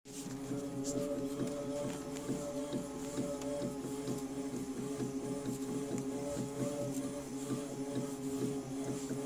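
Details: New Tacx Neo indoor bike trainer (T8000.61): a steady electric hum with a soft rhythmic thump about twice a second, like distant drums.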